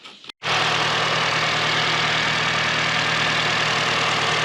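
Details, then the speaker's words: 2007-2008 Honda Fit 1.5L petrol engine after new spark plugs and reinstalled coils starts and settles into a smooth, steady idle, no misfires or weird noises; normal idle. "At this point, it's purring like a little kitten that you're rubbing its little butt. Listen to that. No misfires. weird noises. Smooth."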